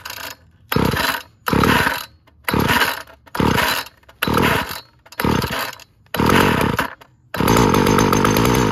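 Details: Weed Eater GTI 19 two-stroke trimmer from an estate cleanout, with old fuel and a Champion CJ14 plug: fires in short buzzy bursts about once a second and dies each time; it runs only on primed fuel because of a hardened carburettor diaphragm.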